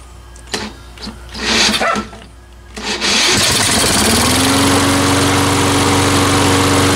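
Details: Salvaged mower after ultrasonic carburetor cleaning and reassembly, running on fresh fuel with no air cleaner fitted: a few pull-cord tugs, then it catches and settles into a steady, even drone with no misfires; normal running.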